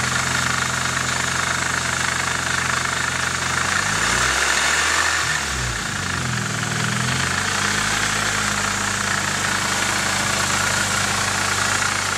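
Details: Nissan 240SX KA24DE at idle: a steady, fast ticking rattle on top of the engine note, pitch wandering briefly mid-clip; owner suspects timing chain noise, not confirmed.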